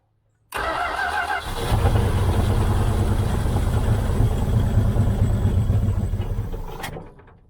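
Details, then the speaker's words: 1978 Dodge Aspen R/T, sat since 1987, carb float suspected full of dirt: cranks, catches, runs lumpy and uneven a few seconds then dies, smoking less than before; rough running, can't run consistently. "i can't get it running consistent enough to really hear it if it's c"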